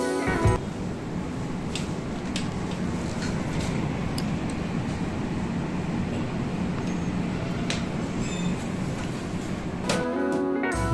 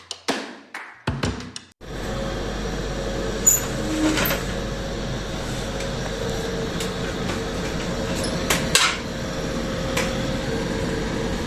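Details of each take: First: Split air conditioner indoor unit after fan motor extra noise was fixed: soft, steady airflow hum, no rattles or grinding, now running smooth and quiet. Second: Indoor AC unit running with a steady rough drone and faint tone over the airflow: extra noise from the indoor unit's fan motor, likely a worn fan motor bearing; the motor must be removed to find the cause.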